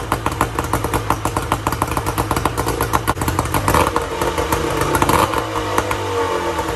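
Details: 1994 Tohatsu M40C two-stroke outboard after water pump replacement, unseizing the seized motor and freeing the locked lower unit, run with water on: rapid, even popping beat holds steady, then the note drops slightly as load changes; running cleanly.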